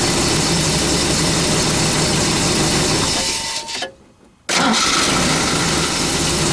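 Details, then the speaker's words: Toyota 22RE truck fitted with a used 20R starter: engine cranks, drops to near silence, then catches again abruptly; the starter drive is not engaging every time, owner suspects it needs a new drive. "sounds like it definitely needs a star drive though judging by how um it's not always engaging"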